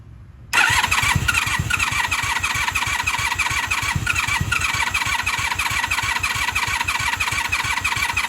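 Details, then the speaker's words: 1996 Honda Magna 750 VF750CD after new spark plugs, coolant refill and battery charge, cranking on choke: steady rapid starter chug with the odd half catch, but the engine never picks up; cranks but won't start. "Trying. Trying, but not firing. She's trying. You can hear it."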